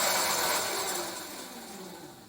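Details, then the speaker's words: Modified Blade-Z XTR Street 2 scooter (7s7p lithium pack, YK31C controller, EcoStar brushed DC motor) powered with the failed BMS bypassed: light, high motor whir fading over two seconds as it spins down freely, proving the pack is okay and the BMS is at fault. "I proved that there was enough power through that process to be able to light up my scooter and to drive the motor you'll probably hear the motor"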